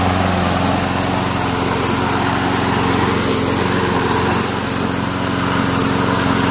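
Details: Craftsman Eager 1 self-propelled lawn mower with a Tecumseh 5.5HP single-cylinder engine, after a carburetor clean and a throttle spring tightening. It holds a steady, even beat of about three firings a second with no hunting. Normal running.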